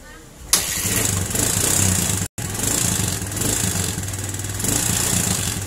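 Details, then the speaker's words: Suzuki Thunder 125 being checked for charging wiring after the battery kept draining, started with no battery fitted: catches after a short crank and settles into a steady, even idle; the regulator (kiprok) and charging system are holding it up fine. "Ini tanpa menggunakan aki. Nah, biasanya kalau misalkan kiproknya bagus, ini tanpa menggunakan aki, motor ini pasti hidup ya, tidak akan ada masalah."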